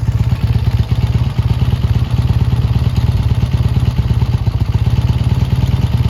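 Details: Triumph T140 twin after fitting new carburettors and clamping intake air leaks: even, crisp low exhaust pulses at a steady fast idle with no misses or stumbles, running smoothly, never ran this good; normal running.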